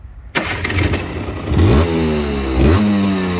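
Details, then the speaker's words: Restored Gilera KK125 two-stroke, cold: catches after a short crank, then two clean throttle blips rise and fall evenly; crisp, healthy running. Normal cold start and revving. "Adesso è fredda, facciamola scaldare un attimo. Gira che è un orologio."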